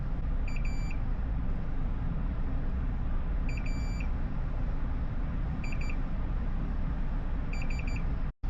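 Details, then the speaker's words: Board repair, multimeter continuity check along the longer connector: bursts of quick high chirps over a steady hum; each pin shows continuity. "And then I guess we're going to go on this longer one. So once again, we don't really care about ground. So we're good."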